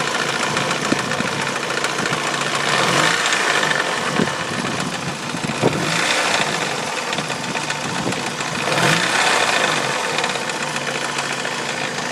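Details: Mazda Miata at idle: a light uneven rattle about three or four per second from the timing belt end, unchanged with the accessory belt removed. Owner guesses the timing belt tensioner or idler pulley; cause not confirmed.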